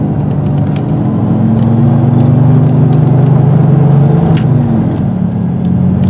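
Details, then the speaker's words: 1996 Dodge Dakota 3.9L V6 cruising unloaded at 32°F outside air: a steady low drone under a constant heavy rushing roar; the locked aftermarket fan clutch robs so much power it needs throttle even downhill. "when i go down hills i actually have to hit the gas because the fan is robbing so much power"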